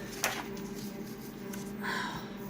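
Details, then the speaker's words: Konica Minolta printer printing a flyer: steady horrible low-pitched squeal with a high-pitched squeak chiming in; squeaking feed mechanism, cause unclear. "to that horrible low-pitched and then there's the high-pitched squeak chiming in listen to it folks on my fault that's not a good sound"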